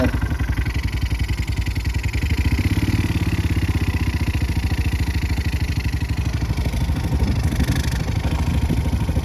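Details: 2019 Yamaha Mio Sporty scooter after valve repair cured no compression: steady, even low thumping idle without misses or stumbles; engine holds compression and idles healthily.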